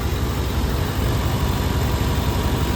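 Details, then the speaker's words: 1992 Chevy C1500, 350 TBI V8, 260,000 miles, idling after new fuel injectors and pressure regulator cured surging; steady even low rumble, no rise and fall; air filter lid flipped adding intake noise; normal idle. "So fires up. Runs really smooth now. Doesn't surge anymore."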